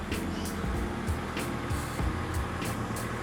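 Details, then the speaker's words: 2002 Honda complaint of misfire, later traced to a corroded cylinder head water jacket: cold engine idles steady and even with no stumble or misfire; the fault is absent while cold. "ini kalau masih dingin Dia normal ya enggak pincang sama sekali"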